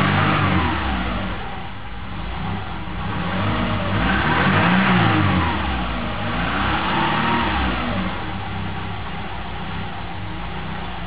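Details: 1998 Subaru Forester, cold morning idle in traffic about a mile after first start: petrol engine hunting up and down; solved by cleaning IACV, mass airflow sensor and throttle body and lubricating accelerator cable.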